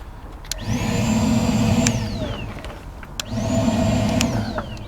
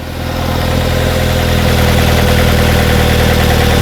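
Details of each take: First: 2009 Ford Fusion with P0410/P0491 secondary air faults, electric air pump under intake manifold commanded on with a test tool: three bursts of high whine about 1.5 s each; pump runs, heard loudly through its inlet tube at the air filter housing. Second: 2009 Ford Fusion with codes P0410 and P0491, engine idling. Switching the secondary air pump on adds air behind the mass airflow sensor when the computer isn't expecting it. A low, uneven loping idle with a droning hum results, a rough idle.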